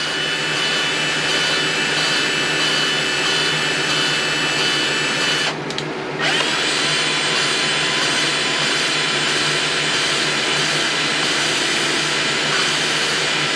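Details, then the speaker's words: Old Craftsman lawn mower engine rebuild, valve lapped in a drill: steady high drill whine over gritty rasp, pause to reverse, more rasp; compound cutting the seat. "now you don't hear it grinding as much we're going to check it have to wipe off our compound here"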